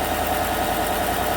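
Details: 2016 Chevrolet Silverado Z71 4x4 5.3 V8, about 135,000 km, just started after replacing all right-bank lifters for a collapsed #6 exhaust lifter that caused a tick and #6 misfire; smooth, even idle with steady hum and no tick or stumble; runs normally.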